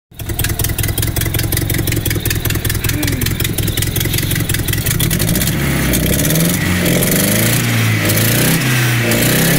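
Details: Nissan S12 with CA18DET turbo four after idle-fix rework: steady idle, then revs rise and fall cleanly with no misses or stumbles; sounds much better, tuning still planned.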